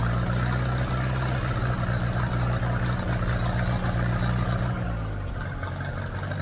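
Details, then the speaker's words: Ferguson TED20 tractor engine after oil, filter and oil-bath air filter change, revved to warm up: steady, smooth fast idle settling lower near the end; healthy, oil pressure now good versus previously dropping to nothing when hot. "I'll give it some rev to let it heat up a bit."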